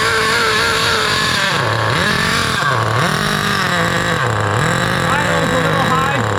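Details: 2008 Duratrax RTX-27 1/8-scale nitro monster truck, first start after leaning the too-rich needle about half a turn: high, buzzy engine revs up and drops back smoothly, picking up cleanly each blip, so normal running.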